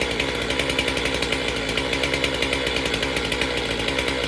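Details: MS462 chainsaw after service with a cleaned air filter, started before calibration reset: high, steady two-stroke buzz with crisp, even firing pulses, no misses or surging; healthy running.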